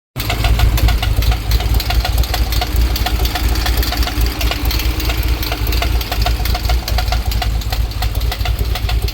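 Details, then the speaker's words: 2008 Corvette Z06 LS7 with ported heads, BTR Stage 4 cam, Johnson 2116LSR lifters, long-tube headers, Corsa mufflers: rough V8 idle with sharp uneven ticking; one pushrod has no preload, owner believes a collapsed lifter. "So, I think I have a collapsed lifter. Pretty sure that's the issue."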